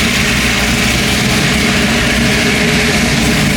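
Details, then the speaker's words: LS V8 car running after a battery-pack start: a steady, even idle with a smooth low rumble and no knocks or misses; owner says it is running only halfway good until fully reassembled. "But sounds good. She halfway running good, but when I get it all the way together, man, it's gonna be exactly what I wan"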